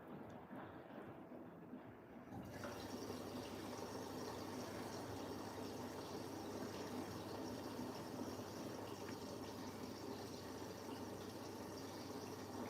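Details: New Siemens 10 kg washing machine, 70° drum clean: steady hiss of water rushing in starts after two seconds and stays even, no knocks or hum; normal fill.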